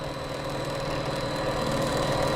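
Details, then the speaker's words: Gorman-Rupp T3 pump with a 5.5 kW motor and Eradicator system, recirculating water on a demonstration unit after priming: water reaches the discharge and it runs with a steady, even drone and constant hum, no surging or knocking; running normally. "You can see our water starting to get out the discharge there, and the pump has become dynamic."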